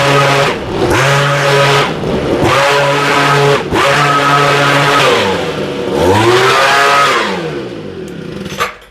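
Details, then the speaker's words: Homelite two-stroke leaf blower, warm, after a quick fix for running, dying and stumbling: clean engine rises and falls smoothly through throttle blips with no sputter or stumble; now running perfectly. "this thing sounds great man I kicked up a little dust in here now that thing's running perfect"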